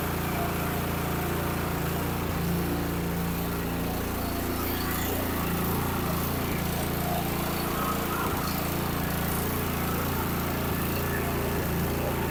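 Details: Cub Cadet 3X snow blower after drive belt replacement, electric start with primer and choke: small engine settles into steady even drone at constant speed, no misses or knocks; runs normally.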